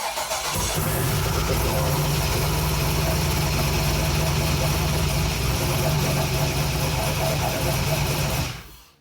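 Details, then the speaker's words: Junkyard-rebuilt LM7 LS V8 on test stand with Holley Terminator EFI, first startup, no coolant, fuel leak: engine catches and settles into steady even low rumble, no knocks or ticks; normal running. "rip that thing sounds that thing sounds good"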